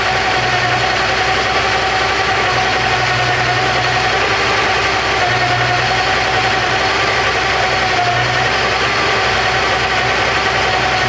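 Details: Porsche 928 V8 idling with all auxiliary belts removed: thin, steady mid-pitched whine over the engine, unchanged without belts; loose oil pump pulley rubbing the timing cover.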